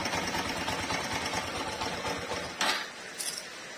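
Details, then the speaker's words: MegaPro single-cylinder motorcycle engine running rough with a busy, dry clattering rattle; the cam chain has not been replaced in a long time, is stretched and rubs the cylinder block/crankcase wall, causing an oil leak. "kok kok bisa gesek Mas ya karena dia molor Dia molor akhirnya dia mengenai dinding silinder atau dinding krengkes"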